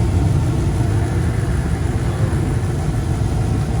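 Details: Furnace after control board replacement, with the red light no longer blinking: steady low rumble and even roar with no knocks, rattles or squeals; firing and running normally.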